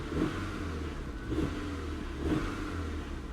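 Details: Salvage car with 159,000 miles, listed as a non-runner with a leaky engine bay (valve cover and thermostat housing gaskets suspected), gets three quick throttle blips, each rising and falling smoothly with no knock or miss: a healthy engine revving.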